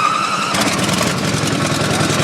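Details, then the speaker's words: Small pump engine on 1989 Ford F-350 brush truck, cold start after priming carburetor bulb twice with choke pulled: brief hum, catches at once, settles into quick even steady run without sputtering. "we're going to go and pull our choke kick it over to the Run position"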